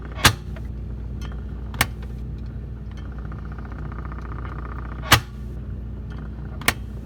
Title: Whirlpool side by side refrigerator knocking HELP!!!